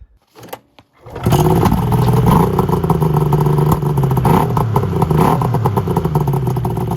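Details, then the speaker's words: Yamaha Venture/SXR 600 triple snowmobile that bogs and backfires, still running poorly after a carb clean and TORS bypass; a spark plug was swapped. It catches but runs with an uneven, stumbling, lumpy beat; owner is sure it is not firing on one cylinder. "It's not running on one cylinder. I know that for a fact."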